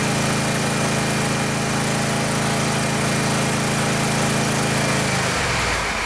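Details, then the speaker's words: Gravely 144z zero-turn mower, 17HP Kawasaki FH500V engine, after cooling fan replacement that reduced heavy shaking; steady, even drone with constant pitch and no shake or knock, then winds down; runs smoother than ever, normal running. "well I made it I made a considerable difference in it Iran's better than it ever has since I bought it"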